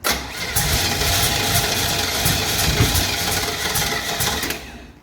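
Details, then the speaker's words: 1968 Chevrolet Camaro, 327 V8 with 4-speed, swapped-in Holley carburetor, mechanical fuel pump, battery running down: cranks with ragged uneven catches that never pick up; front bowl empty, no gas going in, so fuel starvation keeps it from firing. "There's nothing in the front bowl. Might not even have No, there's not gas going in. That's why it's not firing up."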